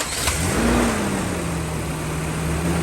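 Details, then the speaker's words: Vehicle started after fitting a homemade 1/0-gauge welding-wire negative battery cable to a body ground: a quick crank, catches within a second, flares briefly and settles into a steady idle, a clean normal start. "All right, I'm gonna start it up and make sure I did a good job."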